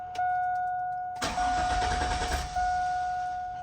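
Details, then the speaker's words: GMT800 GMC Yukon, almost 200,000 miles, after fuel pump replacement with dry fuel lines: pump primed several times, then a steady pump tone, long cranking and a catch. It runs a bit unevenly as fuel arrives; normal LS piston slap. "we're going to have to charge the fuel up a couple of times because obviously no fuel's been in line so we'll hear the pump kick on turn it back off pump back on give her a try"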